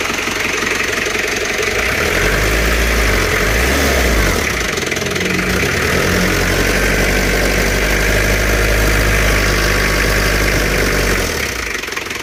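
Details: Isuzu Panther 2.3 diesel, just reassembled after fixing blow-by and smoke (broken piston found, new rings), fuel system still empty: starter cranks a few seconds, catches, settles into even, steady idle without knocks; normal start.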